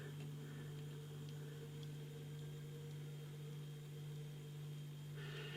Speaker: blimey the fridge is kicked in and it's like a it's almost as loud as a washing machine